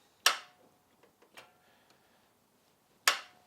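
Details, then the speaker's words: Vauxhall Chevette parked over 10 years, weak battery; after tapping the starter it turned slowly, then back to single sharp clicks a second or more apart with no cranking; starter temperamental. Starter clicking, no crank. "there we go we're back to uh clicking we're back to"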